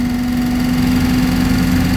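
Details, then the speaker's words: Early-2000s Reliant Supervan, no choke: the engine holds a steady, somewhat high idle with a strong constant hum and a slightly rough low end. A carburetor fault is diagnosed and a vacuum leak is suspected. "It is revving a bit high, so I'm guessing it's probably got a vacuum leak as well, maybe somewhere. I've got no choke on at all. That's just as it is."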